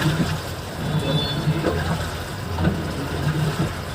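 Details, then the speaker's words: LG 8 kg top-load inverter washing machine with a complaint of noise and no spin: during the wash cycle, a low steady hum with soft swishes about every two seconds as the drum rocks; the wash action is normal. "तो पहले इसके हम wash check करेंगे, जो कि wash चालू हो गया है अभी। काफ़ी अच्छे से धो रहा है ये। तो वॉश में तो कोई फ़िलहाल प्रॉब्लम नहीं है।"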